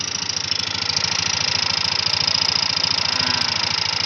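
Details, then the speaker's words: Older Yamaha NMAX that was ridden through floodwater: a harsh, rattly idle with a fast uneven knock, about three or four a second, at the rear of the engine. Teardown found a scored cylinder and a damaged connecting rod. "oke setelah saya tanya-tanya saya bintang-bintang dengan konsumennya ternyata motor ini kemarin lalu itu menerobos banjir mas bro oke Jadi sekarang motornya bunyi"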